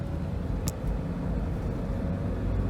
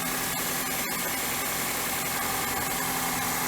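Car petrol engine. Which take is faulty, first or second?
second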